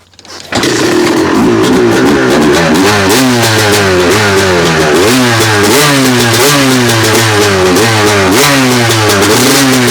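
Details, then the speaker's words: 2002 Honda CR250 two-stroke after top-end rebuild (new Vertex piston, honed cylinder), first start on a warm day with choke: kicks over, catches, crisp ringing revs in quick blips; flywheel weight off so extra vibration, coolant leaking from overflow; normal running. "Well, it vibrates a lot more without that flywheel weight on there, but it's leaking out coolant pretty good, so I got to investigate that."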